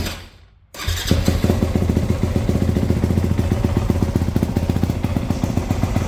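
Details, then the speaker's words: 1995 Suzuki RM125 two-stroke dirt bike with fresh top end, early heat cycles after shop work, previously reluctant to start: cold start catches at once into a crisp, even crackle, no rattle or misfire; healthy. "And I do want to show you guys what this thing sounds like with the fresh top end."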